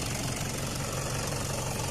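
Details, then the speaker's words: Toyota D4D diesel at idle after repair of a warning light, sluggish acceleration, stalling at idle and smoke, with the pump system cleaned: even, steady clatter with no misses, knocks or hunting. The engine is running smoothly and sounds healthy. "เครื่องยนต์นิ่มมากนะครับเพียงเครื่องยนต์นิ่มมากครับเสียงดังคิดอย่างกับรถออกจากโรงงานเลยครับ"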